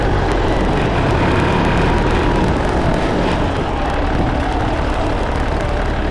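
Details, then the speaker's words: Case 188D diesel tractor engine after a year-long full rebuild and injection pump reinstall: steady, even diesel clatter at constant speed, no knocks or misses. Normal running. "it's alive it's alive it runs it runs it runs good everything sounds good everything's working good"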